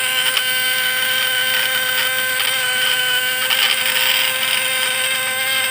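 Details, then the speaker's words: Points-type (platina) PS fish-shocker vibrator inverter, 24 V spec, loaded with a lamp: solid even buzz with slight ticking, sound good, lamp bright, points stay cool after correct adjustment. "Walaupun ada petik-petikannya sedikit, itu nggak masalah, tapi suaranya udah mantap. Dan ini kita pelanggar aja nggak akan panas nih platinanya guys."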